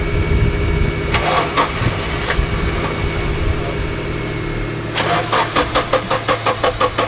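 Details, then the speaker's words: Nissan 240SX S13 street car, hard starting after a drive: repeated cranking with uneven, sputtering catches that won't settle into a clean idle. A leaky injector draining fuel from the rail into the intake runner is suspected, not confirmed. "that was a really weird problem gotta be a leaky fuel injectors right I feel like that's I mean that I feel like that's what it has to be has to be a leaky injector because it's just draining all the fuel from fuel rail into the intake runner"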